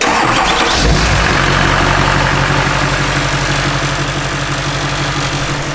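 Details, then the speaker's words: K20 truck diesel swap, fired back up with no throttle response: cranks briefly, catches about a second in, settles into steady, even idle with no knocks or misses; sounds healthy, quieter than expected. "still no throttle for some reason throttle's overrated truck sounds good though i thought we thought it'd be way way louder"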